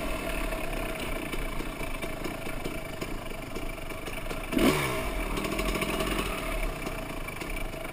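Motorcycle idling with an uneven clatter from low in the engine and a brief blip of throttle; a bottom end noise.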